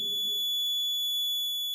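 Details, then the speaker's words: Maxwell's inductance bridge trainer kit, second observation set: continuous high-pitched buzzer sounds while the bridge is unbalanced, stopping once resistance is adjusted to balance; bridge still unbalanced here. "Okay, now you can see our bridge is still unbalanced. Now we need to change this resistance. Okay, using this knob. You can hear this buzzing sound."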